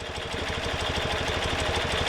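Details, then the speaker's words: Bing carburetors, idle speed adjuster on the left turned in to about 700 rpm: fast, lumpy idle with uneven pulsing beats, harmonizer needle swings to the right carb; carburetor imbalance. "you can immediately hear that now we're gonna look at our balancing gauge and we see that the needle has gone over to the right side carburetor"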